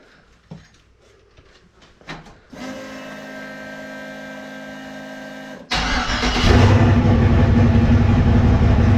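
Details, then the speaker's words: Turbo LS 5.3 Vortec Camaro with new self-tuning Holley Terminator Max ECU, first startup in garage, running a little rich: after a quiet hum it fires into a loud, angry, choppy, loping idle a little over 1000 rpm, normal for a big cam. "that sounds angry holy man that idol's good for that big yeah man ain't that choppy like a little over a thousand still though that's where it's going to be with a big cam"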